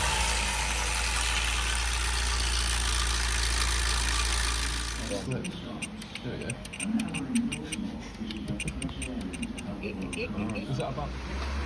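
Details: Hyundai i20 petrol engine: harsh, busy metallic clatter over the running note from a stretched timing chain and badly worn guides found on strip-down; ran like new with no chain noise after a replacement chain kit.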